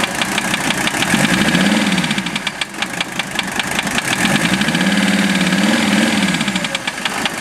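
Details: Mercedes OM617 diesel swapped into a Toyota, warmed 2-3 minutes, idling: sharp regular knock at about engine speed; valve adjustment and cracking each injector didn't change it; owner suspects piston/connecting rod, unconfirmed.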